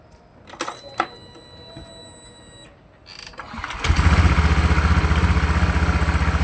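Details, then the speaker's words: Honda Vario 150 scooter with recently fitted RVN Pro piston, before connecting rod replacement: quiet clicks, then it fires and settles into an even, steady low chug about four beats a second; piston sounds healthy. "Jadi untuk piston kayaknya masih aman suaranya ya."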